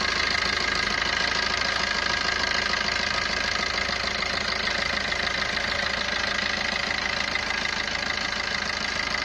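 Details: Maruti Ertiga engine at idle: fast, high-pitched metallic ticking rattle, about three beats a second, over the idle. Abnormal engine noise attributed to a timing chain issue.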